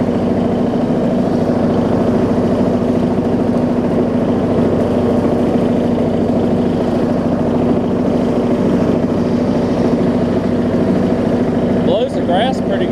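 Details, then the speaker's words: Rebuilt John Deere D110 mower engine throttled down to idle after test driving: a smooth, steady low idle with an even firing beat and a slight rumble, no misses or rattles, so it is running normally. "throttle it down listen i mean it'll even idle even idles really well it's just funny it's just funny it's got a little rumble to it"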